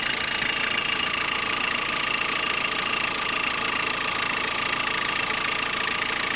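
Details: Peugeot 106 1.5 diesel (11/2002), 130,000 km, timing belt done at 73,000 km: idle with a fast, even ticking clatter about two a second over a bright rattle; engine noise at idle, cause unknown.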